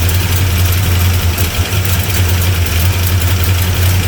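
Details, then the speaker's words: 1975 Plymouth Roadrunner V8, abandoned about 20 years, timing unset and running on the battery: deep idle with an uneven, loping wobble; rough idle, sounds lean, but the cause is not confirmed. "I think it was running better earlier. We are running on the battery. What? We are running on the battery. Should be okay, but it'd be nicer to have some. That sound better? Sounds lean. Sounds lean."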